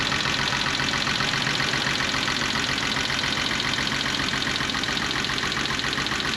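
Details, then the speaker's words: 1985 BMW E24 635CSi Euro spec running rough; uneven lumpy idle stumbling two to three times a second over steady engine noise; misfire, diagnosed by pulling spark plug wires one by one, cylinders two and six showed no change. "hmm sounds like i have a misfire so to diagnose it i'm gonna pull spark plug wires one by one to figure out which cylinders aren't firing"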